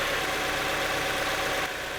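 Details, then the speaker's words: Mazda Miata with many oil leaks, started right after an oil change, having been run on low oil: steady even idle with no tapping or rattle; the earlier knock is gone, normal idle. "no sound so far everything's good so far apart from the fact that it's been running on low oil"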